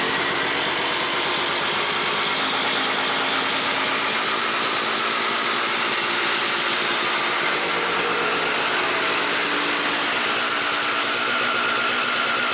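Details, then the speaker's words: 1997 Suzuki RM250 two-stroke motocross bike idling with the choke off after its carb jets were cleaned: a crisp, even idle with steady high popping and no stumbles. Normal healthy idle; the owner notes some bogging at mid throttle. "here. And man, would you guys look at that? The bike is running amazing."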